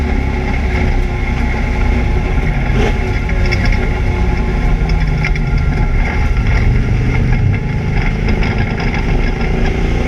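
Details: ABR Camaro on misfire laps: loud engine pulling hard on track with a ragged, uneven, stumbling beat under load, an engine misfire of unconfirmed cause.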